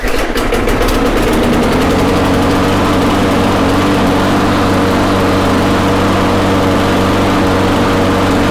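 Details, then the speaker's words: Briggs & Stratton Quantum engine after a further 1/16 inch governor bend adjustment: steady, even drone with no hunting or surging; speed sounds about right, to be raised a further 1/32 inch. "you know what to me that sounds like we're pretty good i think we're going to increase it just a little bit just a tad"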